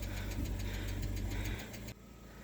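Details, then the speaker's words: Lada Vesta at 30,000 km: light quick ticking, about seven per second, over idle from a hydraulic lifter, appearing at about 60 °C warm-up and fading once at full operating temperature or after a short drive. "Как звучит гидрокомпенсатор на весте появился на пробеге 30.000 возникает когда машина прогревается до 60 градусов"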